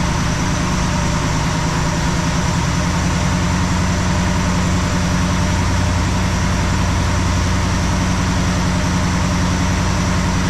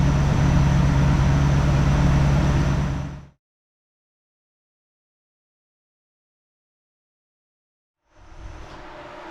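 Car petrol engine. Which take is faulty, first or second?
second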